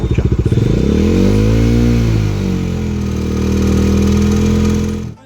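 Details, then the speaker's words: Bajaj Dominar 250 engine rattling under acceleration, a single rising and falling rev with light chattering; top end recently checked, timing chain tensioner removed showed significant play: timing chain rattle from worn tensioner. "se reemplaza por uno nuevo y como pueden escuchar el motor suena completamente diferente"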